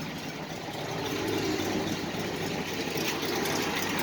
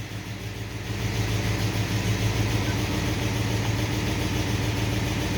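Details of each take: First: 1968 International, original never-rebuilt engine, 129,971 original miles, about 20–25°F outside: steady even low idle rumble, no misses or knocks; normal idle. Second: Manual-transmission vehicle cold start with choke on: choked idle with rough ticking puff about three a second under steady rumble; exhaust leak on passenger side.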